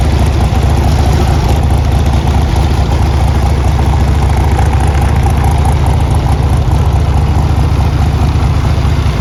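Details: 1981 Harley-Davidson Tour Glide Classic FLTC Shovelhead 1340cc, 37,447 miles, starts well and has been ridden: loud, steady low potato-style lope at idle, even and unbroken, no clatter or misses; healthy engine.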